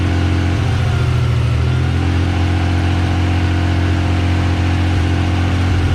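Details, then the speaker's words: Mazda MX-3 after swap to a JDM KLZE 2.5L V6 with larger 65 mm throttle body, first start: settled, even idle with deep steady hum, no misses or ticks; early slight miss was an unplugged wire, fixed. "yeah the kale is that he runs and it runs mint first try first try pur's like a kitty"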